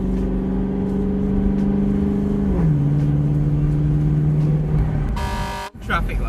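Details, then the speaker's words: Lexus LS400 V8 with rear-mount turbo at about 3–4 psi boost, driving on dual carriageway: deep even drone pulling smoothly, pitch dropping cleanly at gear change, no knocks or turbo whistle. Healthy running under light boost. "it sounds bloody beautiful"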